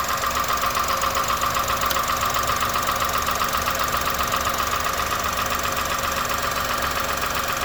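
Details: 2001 Honda Insight petrol engine with 67k miles and valves already adjusted, idling with a quick, even tapping on top of the running sound; the tapping hasn't worsened and goes away while driving.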